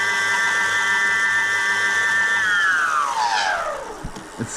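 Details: BBS02 e-bike mid-drive motor after being run at 72V: steady high whine under power, then pitch slides down as it coasts to a stop; something sounds off inside, cause unclear.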